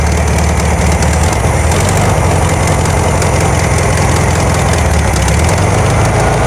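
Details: 1972 VW Karmann Ghia, air-cooled carbureted engine, first run after sitting for many years, choke just adjusted: a low, uneven idle that hunts and stumbles now and then; a little jumpy, with the valves not yet done.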